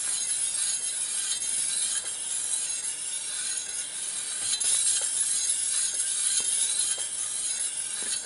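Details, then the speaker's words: Shimano flat-mount road disc brake, rear wheel just refitted, spun by hand: steady hiss with a light scrape-tick about once per turn as the disc rubs the pads, before caliper adjustment. "so we got the back wheel refitted into the bike and if I spin it you're here that the disc is currently rubbing as you'll hear"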